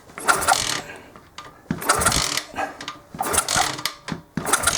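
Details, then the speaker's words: Pitbike that won't start after being jet-washed, tested with a known-good spare plug: repeated kick-over bursts about every second and a half, engine turning but never catching. No spark, traced to a disconnected ignition coil wire. "it's likely that this plug is okay then and then so something else has broken down why we're not getting a spark"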